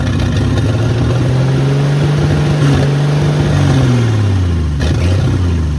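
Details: Long-neglected 1972 Ford F100 Custom, carburetor pouring gas, fed by hand: engine catches, runs rough at low wavering pitch then sags and dies; owner suspects stuck float and leaking carb starving it of fuel.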